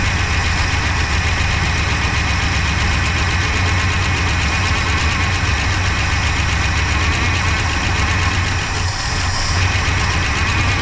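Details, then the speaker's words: 1966 Pontiac Grand Prix, 389 CI, automatic, barn find unused about 30 years, first start on slight throttle with little fuel: loud, lumpy low rumble with slight stumble, runs rough despite chewed spark plug wires; fuel pump not pulling. "that might be it for our fuel Reserve in the car but that's not bad that thing's running pretty good for having a bunch of chewed on spark plug wires"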